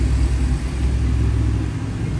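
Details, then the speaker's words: LS4 5.3 V8 that had a whine not cured by a remanufactured power steering pump, after the whine was fixed: deep, even rumble with a steady beat and no whine riding over it; normal idle. "this thing sounds so much better. Let me just crank it one more time. Yep, solid."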